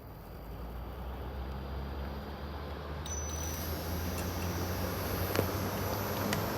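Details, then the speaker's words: Furrion Chill Cube 18k variable RV air conditioner, exterior unit in cool mode on low: quiet low hum building gradually with no startup surge as the compressor ramps up very slowly; normal compressor soft start. "And that's the sound of the compressor firing up. And it's running really slow here, but This can vary and this will increase speed, too."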